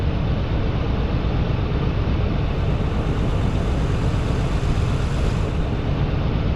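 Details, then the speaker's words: Nissan 300ZX Z32 non-turbo after new spark plugs, one bolt left off: low uneven rumble with loose irregular beat, running rough with no power; injectors or vacuum leak suspected, injectors next step, not confirmed. "He commented exactly what I think is going on with it. No power. No power. He says, "Sounds like your injectors need to be replaced or vacuum leak."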